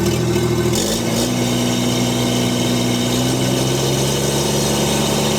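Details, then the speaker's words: STL1000 at operating temperature, 1500–3150 rpm, running rough with an irregular stumble that persists downhill and under load. It has been misfiring since new out of the crate, and fresh fuel did not fix it; cause unclear. "Hear the missing and poorly running. There, we can put a load on. Clearly missing."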